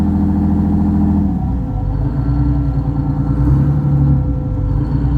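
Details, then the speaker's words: Boat's marine diesel engine just started from the controls, running with a deep, even hum, smooth steady beat, no knocks or misses; sounds healthy. "But Hear that sucker humming? Yeah. Oh, yeah, baby."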